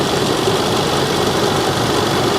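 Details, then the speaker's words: 2010 supercharged 510 hp Range Rover idling with cooling fan running: smooth, even, quiet idle with no ticking or supercharger coupler knocking over a steady fan hum; healthy engine. "Listen to how quiet she is. The cooling fan is on. That's about it. That's about it."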